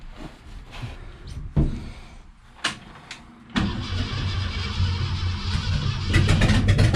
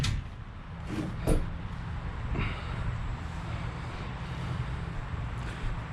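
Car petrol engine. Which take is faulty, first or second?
first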